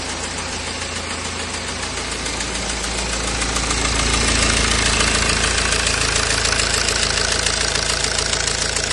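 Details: BMW E92 320d with N47 diesel engine at idle: steady sharp ticking, about three and a half per second, over the diesel clatter; owner does not know the cause.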